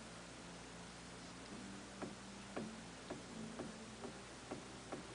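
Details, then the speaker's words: Atlas 9-inch lathe during reassembly; sharp metallic knocks, about two a second, as the carriage is rocked by hand, showing play from the worn bed. "hear it knocking so you can obviously see that that's how much that that's moving"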